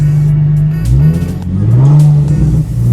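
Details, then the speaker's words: Nissan 350Z V6 after ignition coil replacement for a misfire, still warming up, oil pressure about 50–60 rising with throttle: revs climb and fall cleanly with each blip, no stumble or popping; sounds good, to keep testing. "Pues sí, yo lo escucho bien, no sé ustedes. Vamos a ser cuestión de seguirlo probando, de seguir viendo qué es lo cómo se va a ir comportando."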